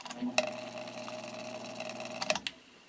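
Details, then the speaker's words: Vintage GE window ventilator fan motor after oiling the bearings with thin then thicker oil, blade removed: the hand-spun rotor coasts with a smooth, steady hum and no scraping; spins very freely. "this thing is spinning super free now it takes a long time for that rotor to come to a stop"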